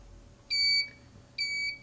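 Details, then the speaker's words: IntelliStitch Turbo cl stitch regulator on a quilting machine: two short, high beeps about a second apart at power-up, its normal startup signal; holding the red single-stitch button through these beeps enters adjustment mode. "okay it made two beeps so i have to hold down the red button on my handle until i hear the two beeps"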